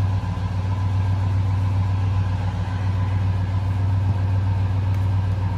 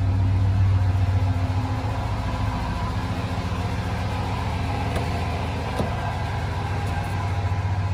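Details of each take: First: 2003 Ford F-150 Harley-Davidson edition V8 idling after SCT BA2600 MAF install and matching ECM tune; steady even low idle hum, no stumble, tick or hunting, no check engine light; an exhaust leak is acknowledged; runs smoothly. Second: 2003 Ford F-150 Harley-Davidson edition V8 idling after SCT BA2600 MAF install and new ECM tune: even puffing tick about three or four a second over the rumble, exhaust leak audible, no check engine light.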